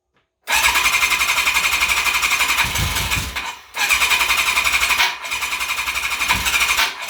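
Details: Kawasaki KZ1000P Custom starter, which had been acting up after a Dyna pulsar ignition was installed; starter rebuild. Three cranking bursts with a steady whirr and even compression pulses about four per second, no grinding; normal starter cranking.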